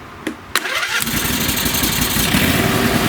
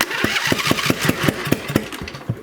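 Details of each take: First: Craftsman lawn tractor with two-cylinder engine, previously popping, after putting back the missing spark plugs: a few clicks, fires at once and settles into a steady even idle with no popping or misfires; runs healthy. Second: Craftsman lawn tractor that ran when picked up, now won't start: slow uneven cranking with sharp pops about every fifth of a second, popping back through the intake; engine won't catch.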